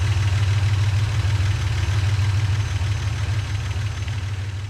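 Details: 1963 GMC service truck, in shop after fuel issue seemingly cleared on its own, hot day: steady even low rumble about three pulses a second, no misses or knocks; normal idle.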